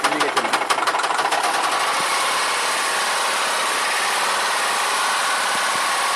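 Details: Nissan Cefiro VQ20 engine: sharp regular knocking ticks about three per second over a steady idle, then hard rapping within the running; engine knock, judged not worth repairing, motor to be replaced.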